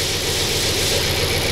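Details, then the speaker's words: 2002 Audi S6 C5 4.2 V8 (ANK), first start after rebuild and a chain tensioner replacement. A brief steady idle with barely any timing-chain rattle and 5 atm oil pressure, sounding healthy. "І тарабанило зовсім трішки. Можна сказати, що не тарабанило. 5 атмосфер тиск масла."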